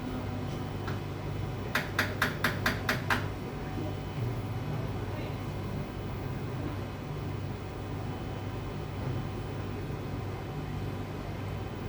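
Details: Formlabs Form 3 resin printer giving about seven sharp, evenly spaced clicks over a low hum each time printing starts; fixed by a firmware update.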